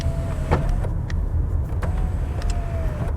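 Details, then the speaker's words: Lexus ES350 on a used-car inspection: the power tilt steering motor gives a steady whine in short runs over a quiet idle, even and smooth. Tilt works normally. "That tilts. Beautiful."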